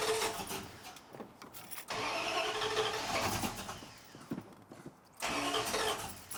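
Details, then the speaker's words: Old Dodge Ram, freshly installed untuned rebuilt carbureted V8 (replacing one with flat cam), new battery: starter cranks in uneven bursts with gaps, never catches; cold engine, choke not set. "Oh, you know what? I forgot. The choke is not happy."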